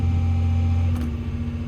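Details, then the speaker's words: Diesel plant machine whose fault was a relief valve that wasn't sealing. After the valve was pulled, inspected and refitted, the engine runs a steady, deep, even drone with no knocks; check-engine light still on. Normal running. "look what I've done listen to that Beast raw just um off camera I thought I'll just quickly pull that valve out and just have a look at it it just to see what it looks like I've put it back in and it's working a treat"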